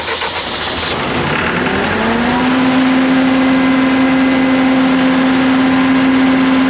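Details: CAT (Perkins) C4.4 diesel after injector replacement for a crank-no-start caused by excessive fuel bypassing the injectors: engine catches, note climbs briefly, then settles into a steady, even hum with no knocks or misses. Normal running, healthy.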